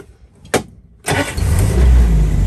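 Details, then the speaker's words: 1981 Land Rover Lightweight, 2.25 petrol: click, short crank, fires straight into steady low idle; ignition light stays on until revved, starts whether hot or cold; healthy start. "and it starts Market whether it's hot or cold you can see the ignition lights on there it doesn't go out until you actually give it some beans"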